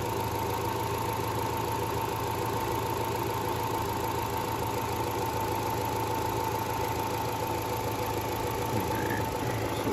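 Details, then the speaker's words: 2012 Chevy Cruze 1.8L non-turbo with P0171, after blocking the PCV (ruptured valve-cover PCV diaphragm) and capping the EVAP purge: steady idle, even low hum, faint whistle, no misses; already smoother, normal idle. "We're gonna start this and see what our fuel trims look like. I can hear a difference already. Not much smoother."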